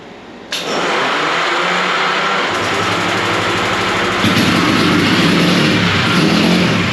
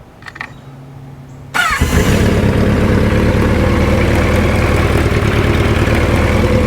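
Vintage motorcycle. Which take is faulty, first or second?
first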